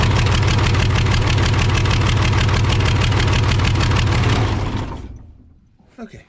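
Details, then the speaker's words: Case 855D loader 12-valve 5.9L Cummins diesel with misfire, power loss and overheating, number one injector line cracked open: idle chugging about three beats a second then dying away, only slight loss; owner suspects number one injector, though number three showed no change. "finally got cylinder one cracked open enough there and I did hear a little loss in performance there so I'm thinking that even though number three was the only one we didn't hear anything from uh I think that's going to be our main issue"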